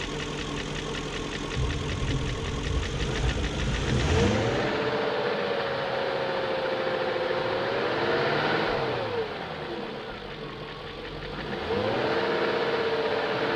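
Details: 2001 BMW E38 740i blipped up and back to idle after Vanos rebuild, Vanos distributors and intake cam-end gaskets replaced: fast light ticking follows revs; lifters checked, plugs tight, no codes, top-end noise source unknown.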